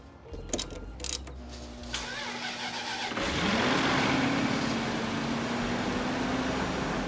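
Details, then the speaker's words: 2007 Supercharged Range Rover L322 after throttle body cleaning to fix surging idle, battery reconnected: brief crank, fires, flares up, then settles to a steady, even idle without hunting and returns smoothly after a rev; normal start and idle. "Sounds good so far. It's a good sign. Gotta wait for it to idle down."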